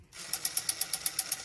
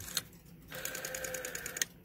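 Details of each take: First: Vintage Western Electric rotary dial returning with about ten crisp, evenly spaced clicks at roughly eight a second and a dry rasp; the raspiness is from lack of lubrication, so it needs cleaning and lubricating. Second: Western Electric 5-type rotary dial, cleaned and lubricated, returning after the wind-up click: an even, smooth whirring for about a second ending in a clean snap, some sound but less pronounced than the raspy dial; healthy.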